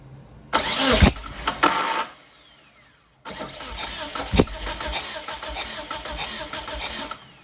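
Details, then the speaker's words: 1997 Mitsubishi Eclipse GSX cranking with fuel unplugged during compression test: two stretches of steady starter whirr and compression chuffing, second about four seconds, never catching. "Oh. Should probably unplug the so it's not getting fuel. Crank it a couple times, get the fuel out of there if there is any."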